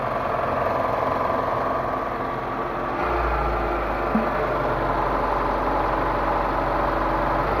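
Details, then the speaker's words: Proton Waja after water pump replacement: steady even idle with a smooth low hum, no roughness or bearing growl; the earlier harsh noise was a failed water pump bearing, now fixed. "Okey kita dah start kereta ni hidup dah dia punya beza bunyi tu bunyi tu dah okey"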